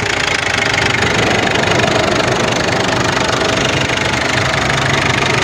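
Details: Ford Everest diesel, previously fuel knocking with grey smoke, now idles with an even, light clatter after injector work; the knocking is gone and the sound is normal.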